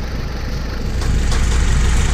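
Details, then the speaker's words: Saturn Vue 2.2 L after new coil pack and new spark plugs gapped to 0.045 in: deep, steady idle with an even beat, no tapping or stumble; misfire solved. "Cleared it right up. Cleared it right up. Yeah, so I think we have our misfire solved."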